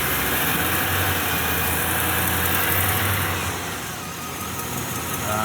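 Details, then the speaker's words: GM V8 pickup bought at auction, idling roughly with shaking felt in the steering wheel and a light tick about three times a second (suspected exhaust leak); flashing check engine light, bad misfire from a dead fuel injector; smooths out when revved. "Kind of smooths out when you rev it up, but yeah, no, it's bad. Oh, check engine light is flashing. This is a bad misfire."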